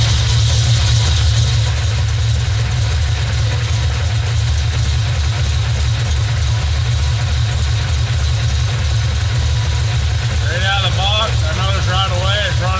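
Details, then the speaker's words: Cammed Vortec V8 OBS truck, first start on newly installed, untuned Summit Racing Max Performance carburetor after pumping it: low, uneven loping idle that stumbles, rougher than usual; needs vacuum-gauge mixture and idle tuning. "rough thank god usually i was a lot smoother than that"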